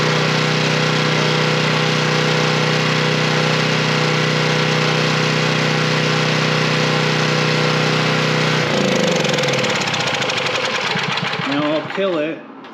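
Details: Coleman Powermate 3250 W generator, 6 hp Briggs, reworked fuel inlet no longer leaking, test run with choke on: single-cylinder engine fires and runs steadily with an even beat, then is shut off and winds down; normal running.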